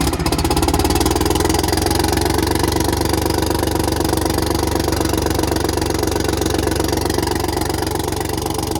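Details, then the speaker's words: Detroit Diesel 6V92 bus engine, cold, during checks of rack and valve adjustment: loud diesel clatter with an uneven, lumpy pulse. Missing on a couple of cylinders; one listener thought it sounded fine. "See, it's missing a couple."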